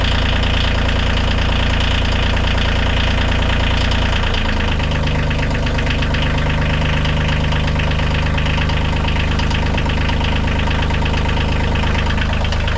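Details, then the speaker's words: Bobcat CT2025 compact tractor diesel, first start after six months of freezing, snowy outdoor storage under a tarp with anti-gel and a battery tender; starts right up, loud even clatter settling to a steady lower idle; normal. "not bad we heard it six months or certainly freezing weather snowed on it a few times started right up no issues at all"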